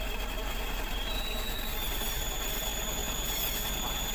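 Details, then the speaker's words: Ragasa PS120 diesel idling: steady thin high-pitched whine over the engine rumble from a worn clutch release bearing, needing replacement, which requires removing the gearbox. "oleh teman-teman seperti itulah kerusakan pada leher kopling atau bearing posts"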